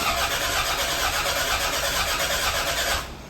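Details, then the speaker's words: Toyota Gen5 3S-GTE engine, first start attempt, cranked with the EFI fuse pulled to prime fuel and circulate oil: an even, brisk starter churn for about three seconds, then it stops without firing; it cranks normally with fuel cut off. "So what we're going to do is turn the engine over like 3 times just to get the fuel going, get the oil circulating, and then we're going to put in back the fuse, get fuel in, rolling through the motor, and hopefully it starts."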